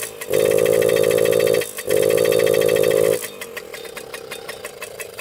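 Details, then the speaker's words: Old Suzuki Jr 50 single-gear two-stroke, as bought: short flat buzzing bursts, falling off and nearly dying between; bogging, air screw adjustment no help, owner suspects clogged pipe or dirty carburetor. "I played with the fuel mixture air screw that doesn't make a difference so I think it's the pipe that's clogged or the carburetor that's a really dirty"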